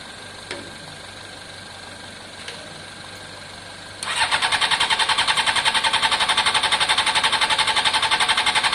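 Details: Honda CBR600 F4i fuel-injected, crash-damaged seven or eight years ago, non-runner, after injector cleaning with fresh fuel; after a quiet wait the starter spins steadily near four pulses a second, never fires; cranks but won't start, fuel pump suspected, not heard priming.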